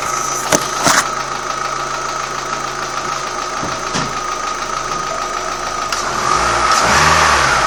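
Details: Old Opel Astra G engine: a fairly regular light knocking at about three per second runs through the idle, with a brief rev near the end. Cause unknown.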